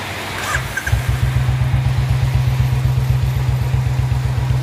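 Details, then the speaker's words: Royal Enfield Bullet 350 BS4 single after its BS4 CDI was swapped for a BS3-type unit: deep, even thump at about four beats a second, no skips; missing cured, running cleanly. "है तो आपने देखा BSP वाली सीधे लगाने से गाड़ी में क्या अंतर है एकदम गाड़ी पर सेट हो गई कोई भी मिशन नहीं गए इस कार्यक्रम में"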